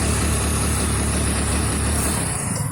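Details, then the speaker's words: Hero Splendor BS6: choked, uneven running with irregular dull pops, missing and not reaching full RPM or taking full throttle. Several mechanics failed to fix it and the scanner showed no fault. The cause was the faulty magnet coil (CKP sensor). "आवाज़ आप सुन सकते हैं कि किस तरीके से ये भड़ करके मिसिंग मार रही है और RPM पूरे नहीं पकड़ रही।"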